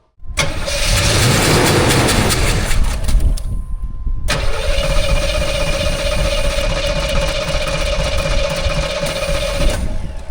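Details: 1984 Monte Carlo SS barn find, unrun for years: starter cranks engine steadily, it never catches though it tries harder; no fuel from tank, line dry, fuel pump suspected.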